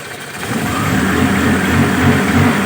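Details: Car just fitted with a TCI pulser ignition module replacing CDI, engine cold just after starting; engine climbs cleanly from idle under a throttle blip and holds a smooth, even note with no stumble: normal revving.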